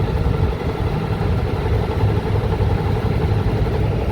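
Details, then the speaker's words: Rooftop AC unit that keeps tripping its breaker, on a hot day around 114°F in the sun: a steady low rumbling drone with a dry, rough grumble under the airflow; dry bearing in the indoor blower motor. "sounds like a dry bearing i'm getting like a dry bearing sound from this guy"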